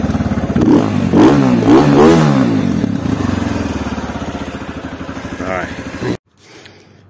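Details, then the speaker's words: CSC RX3 single-cylinder after the first valve adjustment, crisp blips rising and falling cleanly with the throttle, no clatter or misfire; "she sure does sound nice now", normal revving. "she sure does sound nice now"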